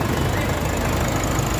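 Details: Nissan Caliber D32 diesel after repairing underbody wiring causing no crank, no power, no start: fires up and settles to a steady, even idle clatter with a smooth low rumble and no misses; normal idle.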